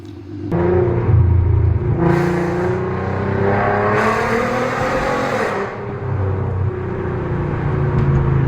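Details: VW Mk5 R32 after installing a new valved exhaust; deep, loud note swells cleanly through two revs and settles with no rasp or rattle; normal exhaust note.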